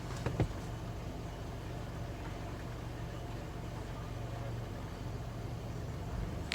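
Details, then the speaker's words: 2017 Nissan NT400 Cabstar diesel, warm after about 5 minutes' running, stationary at idle with no feet on pedals: low lumpy uneven beat with occasional stumble; recurring idle misfire, dealer visits found no fault. "The engine's been running for about 5 minutes, and if I sit stationary or come to traffic lights, it does this."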